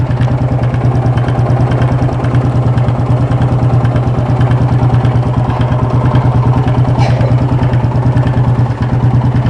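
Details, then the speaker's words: Yamaha Fazer 250 with a strange engine noise, warm, vacuum at intake measured, microphone close to engine: steady clattering knock about three per second over a low idle thrum. "bom galera Dá para vocês ver que tá muito estranha muito complicada vamos ver o que é que tá acontecendo aqui agora né"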